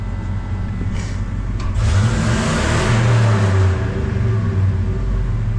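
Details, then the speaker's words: Ford 5.4 V8 truck after repair and clearing check engine light with OBD2 reader: deep throaty revs rising and falling smoothly with no hesitation, misses or knocks; healthy. "all right let's see how it runs now oh look at that no hesitation now boys listen to that it's pure American muffle all 5.4 l"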